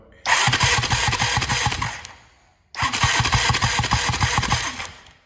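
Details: 2006 Honda TRX450R after new stator, CDI box, wire harness, starter, solenoid, spark plug and carb rebuild: two cranking bursts of quick regular firing that catch and rev briefly before dying; engine fires readily; valves later found to have no clearance.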